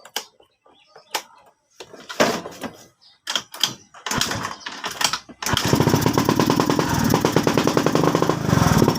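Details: Suzuki Skydrive scooter that wouldn't start and had an unstable, hunting idle even after a spark plug change; piston sanded, carburetor cleaned. After several start attempts it catches into a rough, stumbling idle: misfire from an intake manifold rubber air leak.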